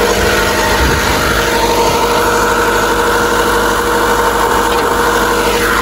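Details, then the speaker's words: Honda Civic idling high around 1,500 rpm with foot off the accelerator: idle drifts up and down every second or so; unstable hunting idle, cause not yet found, rodent-chewed wiring also present. "Pansin nyo yung RPM, pakinggan ninyo, naglalaro siya. Unstable idle."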